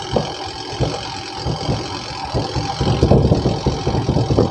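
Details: Panasonic twin-tub washing machine, before repair: the spin-dryer drum turns slowly and unsteadily with a low rumble and rattling bursts, sometimes spinning up and sometimes not; weak spin motor capacitor.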